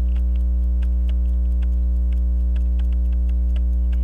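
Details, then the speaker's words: Waltham Appleton Tracy 18-size 15-jewel pocket watch after tightening loose hairspring collet and fitting hairspring into regulator pins: crisp, even ticking with steady spacing, faint hum, balance swing maybe almost 180; normal running. "anyway it runs better now that I put the uh hairspring and the regulator guide pins maybe I'm getting almost 180 out of it"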